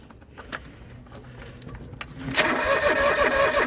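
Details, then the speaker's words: John Deere 445 garden tractor, parked about 8 years, cranking without fuel to build oil pressure: starter spins evenly at nearly three turns a second, oil light goes out while cranking. Normal healthy cranking. "Oh yeah, light goes out and then it comes back on. Lights out. Yep, comes back on when we stop cranking."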